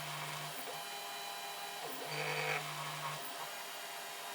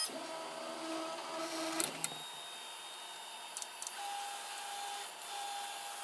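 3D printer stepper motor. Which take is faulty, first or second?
first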